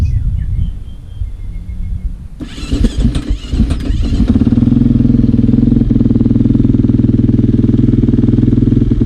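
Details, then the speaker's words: KTM 450 single-cylinder dirt bike catches after some cranking and settles into a fast, slightly uneven beat. It still runs a bit rough; the cause is unclear. "so yeah still sounds a bit rough though but anyway as long as we get to ride and see how it to perform today"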